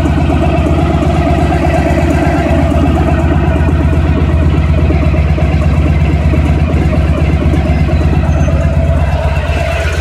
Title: 1991 Honda ST1100 rattling noise near engine@idle